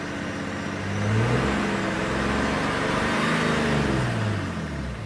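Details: BMW 335d 3.0 twin-turbo diesel after refitting a lost intercooler (charge-air) seal that had caused major power loss: clean revving rising and falling smoothly, no hiss or whoosh on boost; sounds healthy with power restored.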